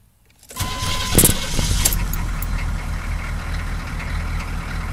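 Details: 6.2L diesel cold start the morning after a fuel filter replacement for rough idle: cranks briefly, catches at once and settles to an even, steady idle without stumbling or dying; no throttle applied, problem appears fixed.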